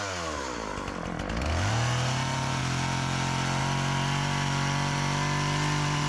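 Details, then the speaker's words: Old Partner 405 two-stroke chainsaw, repaired of stalling on throttle, sharpened chain, just refuelled after running out of gasoline, cutting very hard almond wood. Climbs to a high steady howl held evenly without bogging. Engine runs strong; it cuts well. "Bueno pues corta bien aunque la madera de de almendro pues es muy dura y le cuesta pero todo lo demás lo corta super bien"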